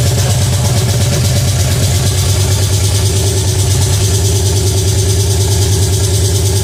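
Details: Pontiac 350 V8 in a '50 Pontiac gasser, first fire-up: loud, steady idle well above normal speed, no drop or hunt; high idle because the choke isn't hooked up.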